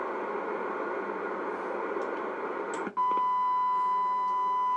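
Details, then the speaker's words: CB radio on the bench showing low power output on channel 1. Background hiss, then a steady high-pitched whine from the receiver that shouldn't be there. "you hear that whining noise? Shouldn't do that."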